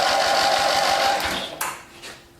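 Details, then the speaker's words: Old Dynamark riding lawn tractor recovered from a scrapyard, just after the starter was reinstalled: fast, even cranking with steady compression pulses for over a second; starter turns the engine over normally, spark check next. "it's cranking all right let's check for spark"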